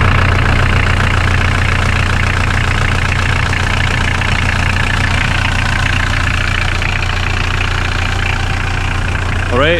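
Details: Mitsubishi L200 K74 diesel warming up after throttle body gaskets were replaced with instant gasket to fix a boost leak: steady, even diesel clatter at a settled idle with no misses, knocks or hiss from the intake side. Healthy.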